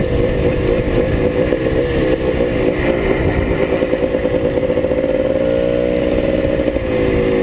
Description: This ones for you Keith... told ya my clutch was slipping.. Gotta figure that out.